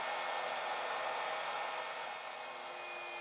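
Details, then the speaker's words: 3D printer 24 V 500 W power supply running after the SSR-controlled 24 V 300 W heat bed switches off: steady, even fan whoosh with a faint hum and no rattle; normal but loud fan. "it's switched off I can hear the actual fan which is a big noisy on this power supply that's the power supply fun down there"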